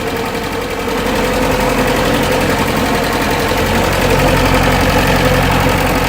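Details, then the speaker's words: Atomic 4 boat engine after fixing the problem, plug back in, started by jumping the solenoid without choke: loud, steady, even idle with no knocking or misses, much better than before; water had been in it. "oh it sounds so much better"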